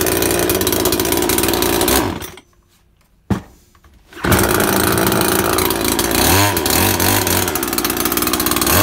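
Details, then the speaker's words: Makita top-handle climbing chainsaw, two-stroke petrol, first start after replacing broken-down primary ignition coil: high buzzy rev, short cut-out and restart, then steady rasping run; now runs properly. "ah now she runs"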